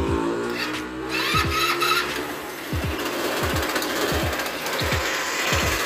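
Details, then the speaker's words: Customer's scooter at start-up, abnormal noise traced to inside the CVT clutch: irregular low clunks and rattles from the transmission over idle; worn clutch shoes. "Una vez identificando el ruido, podemos cerciorarnos que viene siendo de la parte de adentro del clutch."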